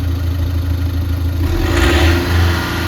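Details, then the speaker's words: Volkswagen Polo diesel after repair: deep, even engine note climbing smoothly when revved; the earlier knocking, misfiring, white smoke and poor pickup are gone, now slight black smoke; normal revving. "और engine का जो sound है बहुत ही ज्यादा smooth हो गया है तो भाई मिशिंग की जो प्रॉब्लम है वो भी खत्म हो गई इसकी"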